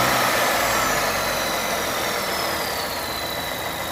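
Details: 2021 Volvo S90 B4 mild hybrid at idle; thin high whistle over engine noise, slowly drifting lower; cause unknown after replacing PCV valve, oil separator, alternator, pulleys, belt, crank seal, balance shaft, timing belt and damper; turbo ruled out.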